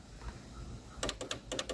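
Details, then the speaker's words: 1986 Dodge Daytona power mirror with its original switch: short dry clicks from the mirror clutch, but no motor hum. The motor won't move the mirror side to side on either side because the switch isn't passing power to it, so the switch is faulty. "but the motor doesn't turn on I can't move it side to side doesn't matter which sides would so the power to the motor through this switch this switch is not working"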